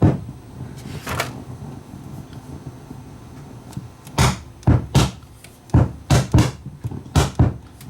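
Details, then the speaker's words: Luxkit A3400 amplifier: irregular deep thumps and rumble about once a second, only in the 15 Hz low-cut filter position, not at 80 Hz or bypass. Suspected solder bridge on a filter switch terminal. "I think it's really only doing it in the 15 Hertz won't do the 80 Hertz won't doesn't appear to be doing it although it does it give it a lot of thumping"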